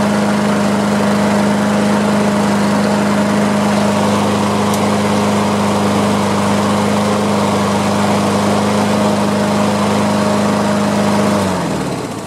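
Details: Craftsman self-propelled push mower after fitting a new gapped spark plug and a new air filter, replacing a dark fouled plug: steady, even drone at constant pitch with no misses or surging, winding down at shutdown; normal running.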